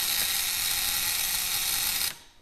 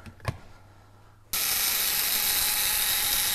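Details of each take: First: 1901 Curved Dash Oldsmobile ignition coil, adjusted to about 1.2 A draw: steady high-pitched even buzz for two seconds then clean cut-off, coil vibrating and firing properly. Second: 1901 Curved Dash Oldsmobile ignition coil on a coil tester: harsh, steady high buzz for about four seconds with no flutter; the coil draws more current than wanted, so the points need adjusting.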